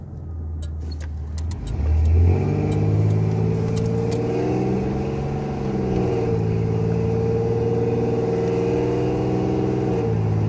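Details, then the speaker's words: 1987 Chevrolet Celebrity Eurosport 2.8 V6 after vacuum modulator replacement, automatic accelerating through third, fourth and overdrive by 45 mph: engine note climbs and drops cleanly at each shift with no flare or slip. "it's third fourth and overdrive right at 45 miles an hour"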